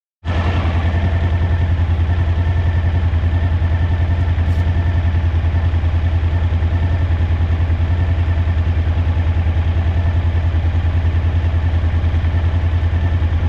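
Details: Suzuki DL1000 idling: lumpy, uneven idle with a skipping beat about three or four times a second. The rear cylinder is misfiring.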